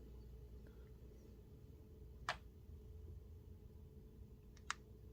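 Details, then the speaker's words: Miyoo Mini Plus handheld, including a brand-new unit, at power-on or shutdown: quiet hum broken by a sharp click-pop from its small speaker, then a second pop; every unit does it, sometimes with a screen flicker. "That click. Popping sound. Coming out of the speaker. Very unfortunate."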